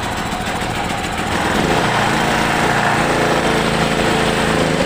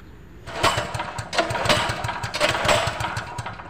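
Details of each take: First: Petrol generator that would not start, after replacing the spark plug and cleaning the carburettor clogged from dried fuel: steady, even running for about seven seconds with no missing or surging, then cuts off; healthy. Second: Generator that won't start: repeated pull-start bursts turn the engine over in quick thumps that never catch, with no spark from a dead spark plug; the carburetor was also found clogged.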